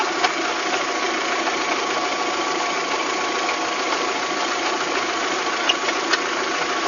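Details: VW Golf 3 engine at steady idle with a faint rattling knock and a few sharper ticks. It is an abnormal engine noise whose cause is not yet pinned down, in a clip tied to fitting cylinder-head parts.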